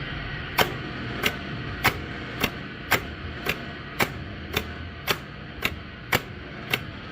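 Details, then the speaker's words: A2 pinsetter with new motor start relay installed, motor unplugged, power on, on/off test: crisp clean clicks about every half second, no chatter or buzz; normal relay switching. "We have a new relay in here. Let's uh unplug our motor. Plug our power in. sticker on on and off."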